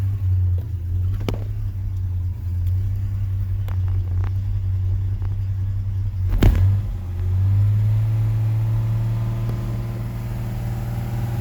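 Deep, lumpy idle with an uneven, loping beat about four times a second and a wobbling note; it's idling rough.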